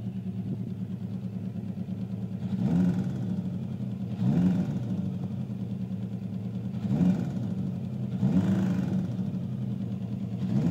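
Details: 900ZL motorcycle four-cylinder engine idling evenly, with a few throttle blips raising the pitch; an odd mechanical noise underneath, cause not identified.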